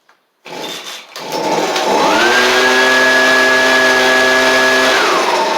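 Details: Stihl/Husqvarna blower (BR700, BR420C or 125B), free non-runner after new Hipa carb kit: sputtery choke start, then quick pickup to a steady even high whine, no misfire or surging; runs well with no carb adjustment.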